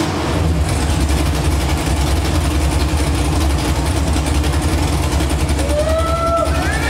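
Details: LS V8 swapped into a G35, first start after install with fuel line only temporarily clamped: deep, steady rumble with an even beat and no misses or knocks; smooth, healthy idle.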